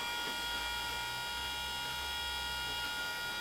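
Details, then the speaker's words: BMW MINI R50/R52 Cooper, key on after engine removal and refit, engine not firing; steady high-pitched electric whir as the electric power steering pump motor stays running by itself; owner unsure why. "So I can hear the power steering motor whizzing away there. That was sort of concerning me. So I thought, why is that just staying on?"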